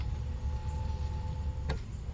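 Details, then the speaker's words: Mercedes 300SL R129 with repaired roof control module, windows weak from dry regulators, automatic down: steady motor whine under two seconds ending in clean clicks; window lowers normally. "you see my windows are kind of weak as well regulators are drying up going down both automatic"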